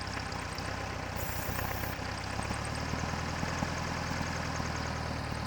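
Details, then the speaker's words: Air-cooled VW at idle, rough idle and stalling; idle speed spikes up when starter fluid is sprayed at intake manifold boot, confirming vacuum leak; both boots bad. "Listen to the sound of the engine. Right. Going to crash and burn. spikes right up when I spray it with a little bit of starter fluid."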